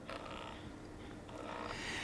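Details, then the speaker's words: Viltrox AF 35mm F1.8 STM lens on a full-frame mirrorless camera: soft clicks and a thin high whir from the autofocus motor during focus pulls, picked up by the microphone in a quiet room. "While the focus pulls themselves are confident and they're smooth, what you can hear is some clicking and whirring that's picked up by the microphone when recording in a silent type situation."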